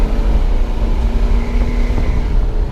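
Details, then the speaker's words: 1976 Chevy C20 Cheyenne Camper Special, 350 V8 automatic, on the road under full throttle: deep drone swells as revs jump when it drops a gear, pulling cleanly; transmission kickdown works normally. "I wanted to show you that the kick down works. You can hear it. I'll step on it right now."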